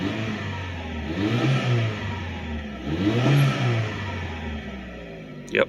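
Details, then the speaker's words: Mitsubishi Pajero Mini turbo, five-speed manual, original rusted exhaust with holes, a holed converter and a blown-out resonator: small engine revs up and falls back twice with a raspy, puffing edge under the note; exhaust leak. "but the converter I had a hole in it as one of the leaks I was hearing you can see he's pretty bad off back of the muffler he's got a resonator I should say it was blown out"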